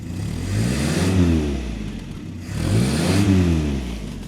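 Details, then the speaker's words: 1974 Land Rover Series, four-cylinder petrol, freshly restored, cold start running on some choke: steady low burble with two slow throttle blips rising and settling smoothly; normal cold idle on choke, running slightly rich. "Currently running with some choke. Just letting it heat up a bit."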